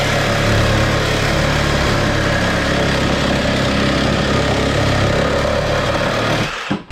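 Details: 1975 Plymouth Duster slant-6 after a carburetor clean and rebuild, running a temporary exhaust with a cherry-bomb-style muffler: loud, raspy idle with slight uneven kicks but a steady beat. Normal idle.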